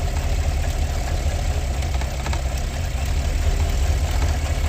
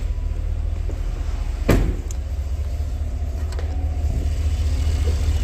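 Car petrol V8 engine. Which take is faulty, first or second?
first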